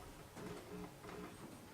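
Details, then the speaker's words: 1936 Philco 116x tube radio (built July 1935), first power-up after restoration, running at only 99 volts: a low hum cuts in and out in short bursts as the volume control is wiggled, suggesting a flaky volume control; no stations received yet. "the hum kind of comes and goes H not getting any stations given I'm only at 99 volts right now"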